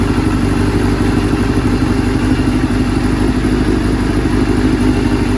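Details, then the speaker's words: 1989 Kawasaki Ninja ZX7 four-cylinder, under restoration, idling on a stand until it runs out of fuel: a smooth, steady idle with an even burble and no stumbles or rattles; the engine idles well. "running it out of fuel up on the stand here. Can't believe how well it idles."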